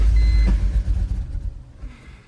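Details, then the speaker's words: BMW E46 330Ci engine, just started on a fresh battery, idles and runs poorly with an uneven low rumble, popping and banging in the intake, then sags; vacuum leaks, tune flash may hide engine light. "and that's how she be running you can hear it popping banging idling not well not idling but just all in all running like poop"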